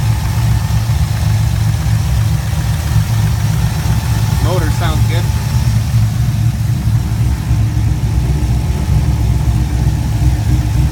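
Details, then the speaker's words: 2004 Chevrolet Colorado with swapped 5.3L V8 and Texas Speed stage 4 cam (223/226, .600 lift, 111 LSA), retuned with raised idle and airflow, warm: deep, steady idle with uneven choppy lope of about four pulses a second, ~925 rpm, no longer stalling; normal cammed idle. "I set it to idle around 9:25 the long-term trims around minus four minus three is on that the white band there it's not stalling anymore"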